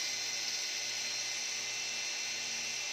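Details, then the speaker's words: E88 Pro drone being disassembled because one propeller would not spin: steady, high, thin whine from all rotors spinning evenly with no stutter or drop-out; motors running normally. "Itu hanya berputar, teman-teman. Berputar, ya."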